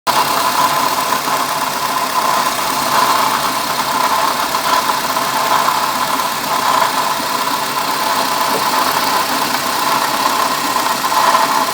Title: Diagnose noise of bad water pump in car